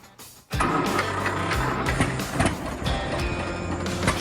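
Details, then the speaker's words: 1952 John Deere A tractor, freshly rebuilt engine from carburetor to rod and main bearings, before its first drive in ten years: fires right up at once and settles into a steady low chugging run, a healthy normal start. "the old john deere a fires right up no problem so far"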